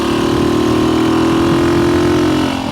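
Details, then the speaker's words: Revived vintage small motorcycle (Kawasaki KS125 or Honda C200) ridden on the road at about 30 mph after decades sitting: steady, even exhaust note under light load, no misses or knocks; running healthy. "That sounds good. And I don't have any front brakes, so they're just a suggestion. But oh, look at this. We're doing 30. This thing runs good."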